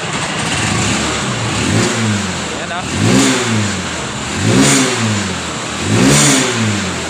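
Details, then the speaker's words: Honda Supremo motorcycle after refitting a missing O-ring and setting valve clearance, which cured the noise; clean rev bursts about every 1.5 seconds rising and falling smoothly, settling to a steady idle, healthy. "Napakaganda po ng RPM niya no."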